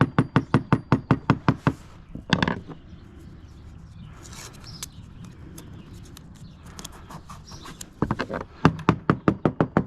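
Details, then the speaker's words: Halcyon 23 fiberglass sailboat deck tapped with a screwdriver near a screw: quick even taps, some spots giving a dull dead thud instead of a crisp click; no squish underfoot; soft area suspected, not confirmed. "Underfoot, it doesn't squish or anything. It's not giving under the pressure of my heels, but it's definitely got a thud to it."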